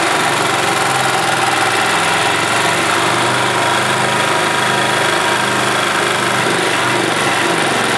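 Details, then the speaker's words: 1991 Yamaha G8 gas golf cart engine after carburetor cleaned of junk and worn-out fuel pump replaced; steady, even putter at constant idle speed with no stumbles, knocks or hunting: idling cleanly. "I think that is a result that is working as it should all right guys well there you go carburetor had junk in it and the fuel pump was shot"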